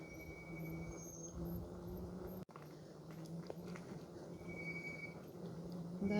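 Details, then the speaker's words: Bike descending a steep slope while braking: thin high whistle around 2 kHz comes and goes over wind and tyre rumble; squealing brakes. "jadę, naciskając hamulce. Coś gwiżdże z moich hamulców."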